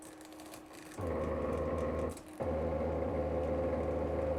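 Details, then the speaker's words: New 3D printer during first auto bed-leveling probe: steady motor buzz with a grainy rasp that breaks off and resumes, the axis straining; owner suspects it caught on a wire at the back. "i mean that doesn't sound right i mean it's trying to go back over this wire i don't know what's happening right at the moment"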